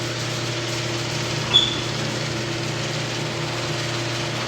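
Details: Old garage door opener triggered through a Wyze smart garage controller, opening the door. A click, then an even low motor hum and drone with no grinding or straining; the opener is running smoothly.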